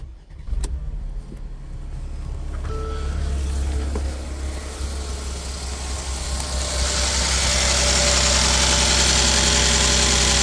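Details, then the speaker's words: Mercedes GL450 with M276 engine and an intermittent no-start from an intake cam sensor not registering (P001685), starting with both cam sensors unplugged so they default to 33°: cranks briefly, catches cleanly, settles to an even, healthy idle. "Healthy enough. I still have to give this car a good uh once over, but that's a good sign. And it idles right down."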